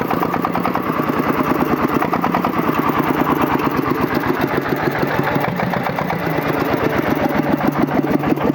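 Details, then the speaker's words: Single-cylinder diesel water-pump engine (1100–1130 series) after repair, pressures and injector spray checked good, running with speed raised: steady, even chug with regular firing, no knocks or misses; repaired and running healthy. "Mana xudo xolasa akalar yurg'izib to'g'irlab qo'ydik. Aylanibdi. Tezlik oshotdi."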